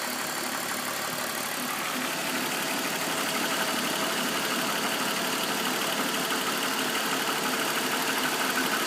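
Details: BMW M54B25 straight-six at warm idle with a light, regular ticking knock from the front right side, appearing only after warm-up; VANOS ruled out via INPA/DIS; owner asks if it could be the chain; cause unconfirmed.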